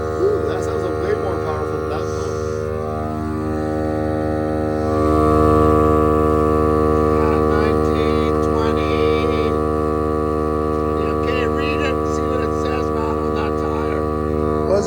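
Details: Milwaukee M18 battery-powered cordless tire inflator filling a van tire toward 40 psi: steady buzzing drone with a fast regular pump pulse, firm and even under load; running normally.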